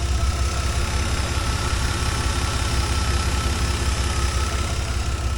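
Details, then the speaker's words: Chevy S10 idling, mic on the side where an exhaust leak was fixed, waiting for electric fans set to a 160-degree sensor: steady, even low idle with faint whine, no ticking or quack-quack puffing; leak fixed. "so I'm over on this side you can't hear any quack quack quack quack anymore because I fixed that exhaust leak"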